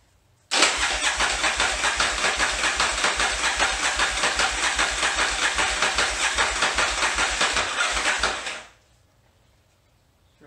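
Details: 1981 Yamaha XV920 motorcycle with new starter and ground cable, fuel in float bowls: about eight seconds of steady, clunky cranking, then silence; never catches, pointing to fuel starvation; owner later checks carburetor float levels.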